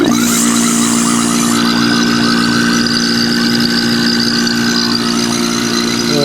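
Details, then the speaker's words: Marvac GA-271A AC vacuum pump, split-phase AC induction motor, after freeing seized armature shaft, likely unused 30 years: loud steady hum with constant tone and light whine; runs normally, motor heats quickly, good suction. "And that's what it sounds like. It's drawing in air here, or sucking in air here and blowing it out here."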